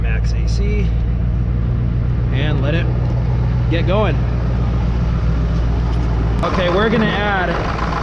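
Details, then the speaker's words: 2002 Ford Excursion 7.3 Powerstroke diesel after A/C compressor, accumulator and orifice tube replacement, started with A/C on max during recharge: steady, even idle under A/C load with no compressor knock, rattle or squeal; normal. "Now when you do this, you want to set the AC on max and turn both zones on if it's so equipped. And fire it up."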